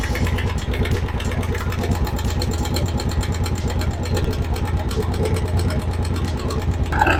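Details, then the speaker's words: Italika DM 200 motorcycle single-cylinder engine at idle, top cover removed: fast metallic clatter over the beat, loud from the side; owner suspects clutch, oil pump or centrifugal filter. "Mình nghe thấy tiếng ồn từ bên này rất to đây mình hình như là bộ phận ly hợp hay eh máy bơm dầu hay máy ly tâm là gì cái gì đó ở đây nghe có vẻ rất khắc nghiệt trong phần này."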